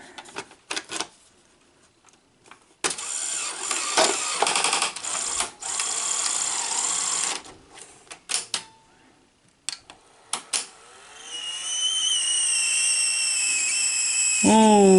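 Stop-start whirring and clicking from the loading gear, ending in a rising squeal; the transport is straining to thread the tape. Cause suspected, not confirmed.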